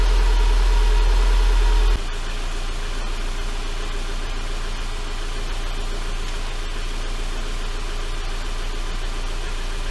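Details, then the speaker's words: 2011 Subaru Impreza, EJ253 non-AVLS block with AVLS heads, first start after rod-bearing-failure engine rebuild; idle with a light, fast tinny buzz; front exhaust heat shield rattling, loosened from jarring during the work. "a little bit of an exhaust Shield rattle from jarring it around"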